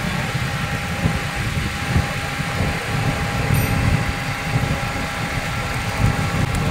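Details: Hyundai Getz 1.6 with jerking and vibration: uneven idle thumps with irregular low stumbles; misfire from a spark plug wire leaking spark to ground at its side, fix is a new high-tension wire set.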